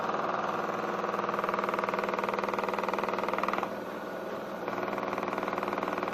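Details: New Miele washing machine from about 2014 body design, on a non-concrete floor with 1.6 kg dry laundry; noise began 2–3 weeks after purchase: steady rhythmic thumping about four beats a second over the spin drone; uploader suspects weak plastic connectors; loud vibration during spin.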